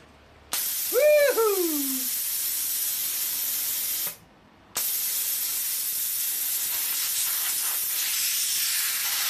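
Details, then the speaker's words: Plasma cutter that wasn't blowing air, after reconnecting a loose wire; strong steady air hiss on torch trigger, brief stop, then blows evenly again in paper test; air flow restored. "that's working guys so all that was was just a loose wire"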